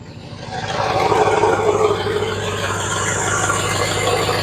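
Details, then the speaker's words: 1966 Ford Galaxie 500, newly bought, starting right up and settling to a steady, even idle with no knocks or misses. It sounds happier than before, though the oil pressure is unknown. "Well, started right on. Again, don't know if there's any oil pressure or not, but sounds good now. Sounds a lot happier."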